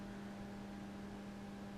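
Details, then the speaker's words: Line conditioner plugged in, before connecting a vintage valve radio: constant low electrical buzz at fixed pitch with faint higher overtone; buzz from the conditioner itself, owner unsure if normal. "Okay, I've plugged in the line conditioner now, and you can hear it's buzzing. It's got its own little buzz."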